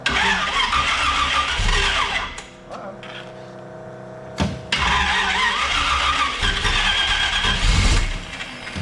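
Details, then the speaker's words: 1932 roadster, complete frame-off build with rebuilt engine and electric fuel pump, first start: catches and settles into a strong even rumble, no knocks, misses or squeals; normal running. "woo no fire oh my gosh that sounds so good"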